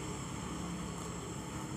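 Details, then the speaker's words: Yamaha RX King two-stroke, idle a year and hard to start because of intermittent ignition: after changing to an RX-type AC CDI, a low, steady drone with an even beat and no misses; the engine runs cleanly. "Nah inilah hasilnya teman-teman, sudah hidup karena kita rubah dengan CDI yang RX."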